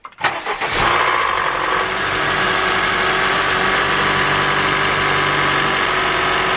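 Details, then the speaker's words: Honda Fit GK5 2014 1.5 RS, 132 hp, nearly 50,000 km, cold start after overnight in unheated garage, day after valve adjustment: cranks and catches, brief metallic clatter over settling idle; knock persists, cause not found. "посмотрим как она будет сейчас заводиться при запуске будет металлический стук"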